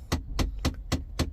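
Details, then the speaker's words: Mahindra Thar with key on and engine off: a steady, dull knock about four times a second from the AC blower. Failing blower motor; temporary fix is to remove or bypass the control switch fuse. "ஆக்சுவலா இந்த sound எதனால வருதுன்னா இந்த AC பப்ளோயர் இருக்குல்ல இந்த AC பப்ளோயர் உள்ள ஒரு motor வரும். அந்த மோட்டார் போயிடுச்சுனாதான் இந்த சவுண்ட் வரும்."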